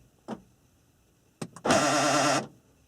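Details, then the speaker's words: 1994–1997 Honda Accord power door lock: a click, a quick double click, then a brief harsh buzzing grind from a failing door lock actuator; the door can be located by sound or vibration. "and you can isolate which door it is quite easily by sound. You could also put your hand on the door and feel for the vibrations when it's making that noise."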